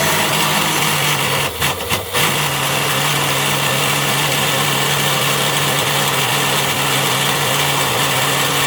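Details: Sewing machine motor run on 400V: harsh high-pitched hard-running roar with steady tone after a brief stutter, overspeeding on too much voltage; later suffered mechanical bearing failure.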